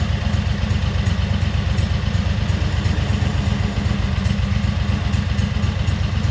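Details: 2003 Wright Stander mower, 23 hp Kawasaki V-twin, with fuel pump rigged to the crankcase pulse output: low, steady drone with slightly uneven, loping beat; poor running because choke and throttle cables were on the same linkage, working against each other.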